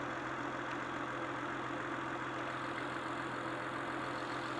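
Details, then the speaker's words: Honda/Acura on an ice-cold start after replacing ignition coils and cleaning the throttle body: smooth, steady low hum with no misses or shaking; quieter, smoother idle, stop-light vibration gone. "from my perspective it definitely quiet down the motor a lot it definitely sounds like it's iding a lot a lot a lot smoother"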